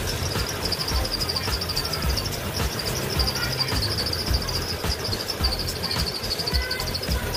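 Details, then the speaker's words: Car engine running with a thin, wavering high-pitched squeal over its rumble after washing or spraying the engine bay; fixed by applying water-based silicone oil to the inner grooves of the fan belt, squeal fading: fan belt squeal. "jika bunyi berdecit ini belum juga hilang setelah dilakukan pemberian silicon oil kita bisa memberikannya kembali pada bagian rel dalamnya pada bagian fan belt ini dan perhatikan suara akan menghilang dikit demi sedikit"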